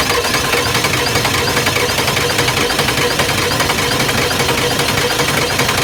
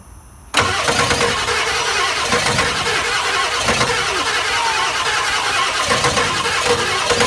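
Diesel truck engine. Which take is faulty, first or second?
second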